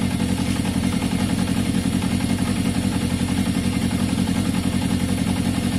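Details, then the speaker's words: 1981 Yamaha XJ550 motorcycle with intermittent fault, idling during brake-fluid spray test for air leaks: even, steady idle with smooth regular beat, engine note neither rises nor falls when sprayed, so no air leak; normal idle. "so definitely nothing to do with airflow there guys you could hear the engine no it didn't change at all so no no it didn't rise it didn't fall"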